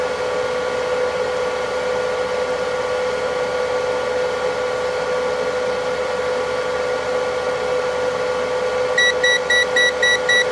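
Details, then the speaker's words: AstroAI AM33D multimeter at its maximum current range, supplied from a power supply through thin stock leads, beeps rapidly (three to four per second) over a steady hum as an over-range high-current warning; meter warming. "You hear the beeping sound cuz it's not very happy. It's at the very edge of its range."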